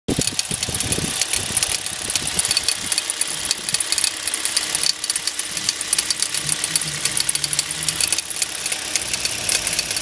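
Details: Hyundai Solaris engine idling with a sharp, irregular knocking roughly once a second over a bright clattery top end; knock present, cause not pinned down.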